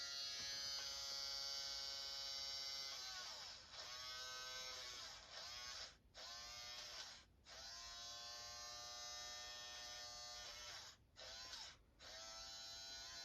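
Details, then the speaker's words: Kodak disc camera, opened: thin high motor buzz in bursts, pitch sagging and recovering, disc not advancing; main blue gear has come unglued/loose from motor shaft. "that main blue gear has become unglued from the main motor shaft and that's why it's not doing anything that's why it's just buzzing like this because it's trying to advance this but it can't because that main gear has become loose"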